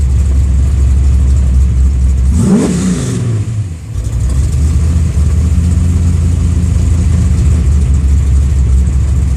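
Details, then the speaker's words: Car with newly installed FAST fuel injection system, warmed up, ECU near zero O2 correction: a quick blip rises and falls, then the idle surges unevenly as it runs too rich before steadying; floods whenever the throttle is touched once warm. "see it got really fat then you you heard a car surge it'll crack itself once it settles down"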